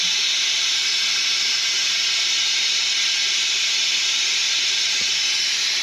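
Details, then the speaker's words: F-4 Phantom in hangar: steady sharp high-pitched hiss; pneumatic leak, not the piston, source not pinpointed despite bubble soap. "yeah I mean I can feel something but I I can't pinpoint The Source"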